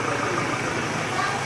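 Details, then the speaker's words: 2019 Ford Ranger Wildtrak 2.0 diesel that would not crank or start, now fixed and starting on one click with codes cleared. Steady even diesel idle with no knocks or misses; normal idle. "Ford Ranger 2019 Wild Truck. Ayaw umandar. Ayan umaandar na ngayon."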